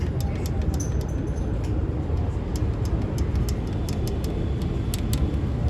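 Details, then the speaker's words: One-year-old Hero HF Deluxe BS6 motorcycle, tappet cover off, heard up close: sharp, light ticking over a low idle rumble in uneven bursts. Tappets very loose, causing heavy noise; fix is tappet clearance adjustment. "बहुत ज्यादा इसका टाइपिड loose है जिसके कारण इसमें बहुत ज्यादा sound create हो रहा है।"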